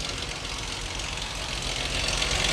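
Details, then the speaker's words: Chrysler 2.7 engine at idle, AC off: fast, busy clatter riding over the idle, growing slightly louder; valve train clatter suspected, possibly from oil sludge, cause unconfirmed. "All right, y'all hear that clattering noise?"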